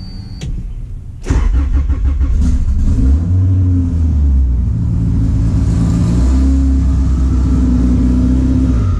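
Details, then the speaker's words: Big-cam Honda with a large intake and throttle body, previously only idling around 1500 rpm; idle issues now sorted. It catches, then settles into a choppy, loping big-cam idle around 1100–1200 rpm. "I actually had some idling issues with it, like I was telling you guys, but I got it all sorted out. This thing chops like a motherfucker now."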